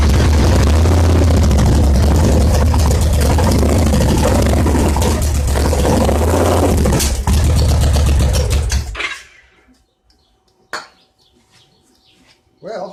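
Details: 2002 Victory V92 V-twin after sitting outdoors about eight years, started with starting fluid on a weak battery; strong lumpy beat about three pulses a second, runs steadily and revs slightly before shutting off.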